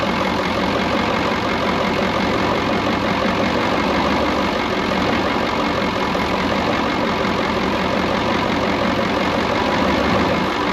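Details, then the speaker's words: Brockway 358 truck, Cummins 555 diesel, after valve adjustment and tightening loose injectors and intake valves: steady idle, dense uniform clatter, no misses or loose ticking; healthy and much better than before. "i'll be honest with you it sounds so much freaking better all i did was literally all that i really did was we just adjusted whatever injectors were loose and uh tightened up pretty much all the intake valves"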